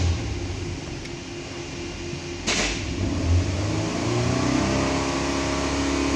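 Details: Nissan Patrol Y62 V6, after fan coupling replacement to cure a whistle on acceleration: engine revs cleanly with a smooth rising note, no whistle; sounds normal.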